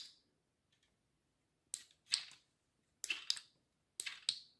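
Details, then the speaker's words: Fuji SL Limited road bike, new Shimano Ultegra Di2 12-speed with wireless shifters paired via app, rear derailleur test: quick crisp whir-and-click bursts about one shift a second, no grinding or hesitation; shifting normally. "So you can see here, here is the rear derailleur shifter. So I'll just test it out. You can see that it works."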